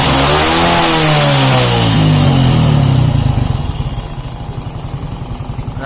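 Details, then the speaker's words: Shogun 125 that ran smooth cold but rough when hot, after replacing the connecting rod/piston parts: revved to full and it falls back cleanly to an even idle with no knock or rattle. Smooth revving. "teman-teman itu sudah saya daftar full tapi ke arahnya masih tetap halus ya"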